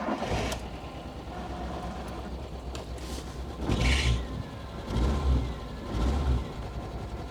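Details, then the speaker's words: C25 CityCamper petrol four-cylinder, running rough especially cold, old plugs, wires and moldy fuel hoses: lumpy surges about once a second with stumbling, not running on all cylinders, misfiring and cutting out; cause suspected, not confirmed. "it's not running on all Miss firing a lot and cuts out"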